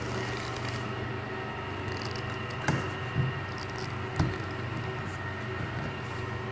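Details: Mini hydrovac slurry vac: supercharger believed from a 3.8 L V6 (M90 rotors likely) plumbed backwards as a vacuum pump, driven by a 15 hp Chinese motor; steady low mechanical drone with dull thumps, even pace; running normally.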